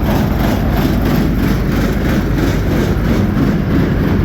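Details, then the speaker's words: Combine diesel at idle with rotor spinning, feeder house not running: loud, heavy idle with a rough clatter from the rear end, source unknown, which quiets once revved slightly above idle; abnormal noise at idle. "yeah it's loud and idle I don't know what's making that noise in the rear end here but as soon as they rev it up just a little bit more above idle it's"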